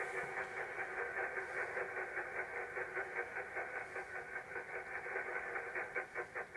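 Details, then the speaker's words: Wireless microphone receiver (16 channels) on the bench: a rushing hiss pulsing about two and a half times a second, like a steam train. Interference of unknown origin at this point, later traced to the soldering iron. "Sounds like a [ __ ] steam train, don't I? Don't know where that noise is coming from."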